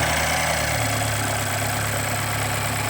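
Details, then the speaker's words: 2013 BMW X1 N20 four-cylinder, after "sorta crank" no-start repair including oil pump chain, first start: catches and settles into a steady, even idle with a smooth low hum and no knocks or misses. "there it is starts runs and drives after all that"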